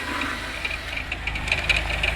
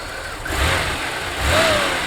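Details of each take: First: 1992 Oldsmobile 98 3.8L at idle, wheel off, heard at the crank pulley: uneven knocking at roughly two per second, a complaint that fades when revved; knock traced to the harmonic balancer, suspected broken down. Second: 1992 Oldsmobile 98 3.8L after installing a new harmonic balancer: idle and two clean blips rise and fall smoothly with no clunk or knock; normal revving, fix confirmed.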